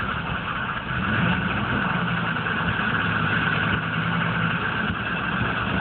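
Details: 1995 GMC K3500 6.5 turbo diesel, 78,000 miles: wavering, slightly surging rough idle clatter. It misses at speed under full load, stalls off throttle and is intermittently hard to start. Wiring checked, codes stored; owner suspects the PMD or injection pump, unconfirmed.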